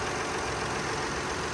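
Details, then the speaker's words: 2001 Lexus RX 300 with a new battery, brakes and transmission: a smooth, even idle hum with no ticking, knocking or stumbling, "purrs like a kitten." Normal idle. "so listen to that. Purrs like a kitten."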